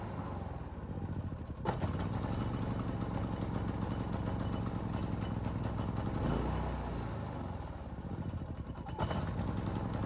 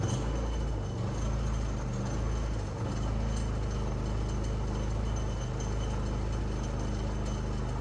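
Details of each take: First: Predator 3500 inverter generator only runs on full choke, dies off choke; engine hunts up and down with pitch swelling every few seconds, a lean surge from a clogged main jet, fixable without removing the carburetor. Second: Predator 3500 inverter generator that only ran on choke and surged, after cleaning the clogged jet without removing the carburetor: steady low drone with no rise-and-fall hunting over eight seconds; running smoothly.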